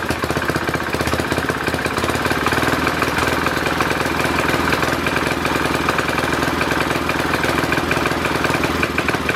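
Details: Simplicity Landlord 2010 tractor engine running at constant speed after the oil seal was replaced and the engine was bolted down: fast, steady knocking; owner suspects a rod knock, unconfirmed, and the carburetor still needs tuning.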